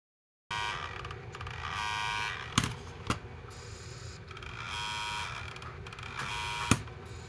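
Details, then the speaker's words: Sharp MD-SS503 (Auvi/1-bit) MiniDisc player under test: rough buzzing grind in repeated bursts with sharp clicks, sled fails to reach home position; broken main gear on the gearshaft, later replaced with a spare. "heard enough broken gears in Sharps to know one when I hear one..."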